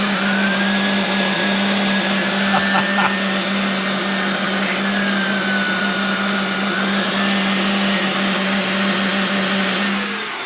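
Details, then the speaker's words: Hart DC1000 canister vacuum (8.5/9.4 amp motor) roaring steadily with a wavering mid-pitched hoot when the turbo tool loads the motor. The cause is unclear; the owner suspects a seal. "So if you weren't able to hear it, it was going as the turbo tool put a load on the machine. That's just hilarious."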